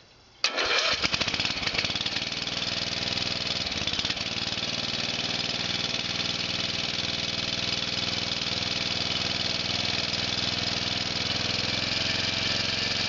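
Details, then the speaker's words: Murray riding mower, single-cylinder, cold start after four months sitting, engine turned over first to circulate oil, a little throttle and full choke: catches almost at once, stumbles briefly, settles into steady even idle; normal cold start. "So here we go. Battery sounds pretty good. Let's try it. A little bit of gas, a lot of choke."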